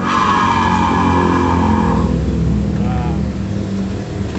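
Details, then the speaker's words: Honda Vario scooter, noisy when pushed backward: an electric-motor-like whirring whine from the CVT that is louder when the pulley is pressed. The cause is a worn bearing inside, found when it was dismantled. "yang rusak itu laher di sini ini laher yang ini dengan lahar nih di dalam sini"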